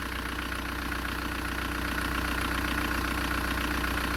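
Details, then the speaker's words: Engine idling after the alternator/AC drive belt, replaced 37,000 km earlier and squealing, was removed and treated; even steady beat with no squeal or chirp; normal idle, no belt squeal after a few days' driving. "Я нічого не чую зараз показую вам спідометр скільки вже пробіг склав секундочку так пробіг 324 тис і вже 18 км"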